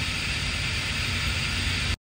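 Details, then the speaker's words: Truck-and-trailer air equalization valve at a truck stop, idling: steady loud hiss of escaping air over low engine rumble; valve not working, its small rubber part loose, owner previously replaced it and must replace again. "this valve right here you can hear it hissing and that little rubber part right there is is loose"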